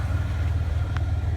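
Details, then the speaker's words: Dodge Dakota with a newly fitted 2-inch Jones glasspack muffler, checked by hitting the throttle: deep, even low rumble with a smooth pulse and no rattles or leaks; sounds much better than before. "hit the throttle oh hell yeah now that sounds awesome that's a lot better than what it did before that's for sure"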